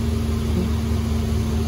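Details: 2015 Infiniti Q50 3.7L, first start after new NGK spark plugs and an oil change, oil cap left off: smooth, steady idle with an even low pulse, no ticking, misses or roughness, healthy.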